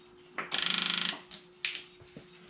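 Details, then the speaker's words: Case skid steer with hard starting, key on: quick even burst of about a dozen rapid clicks, then stops; fuel pump is priming and working well. "and I think our fuel pump is working quite well so no need for that"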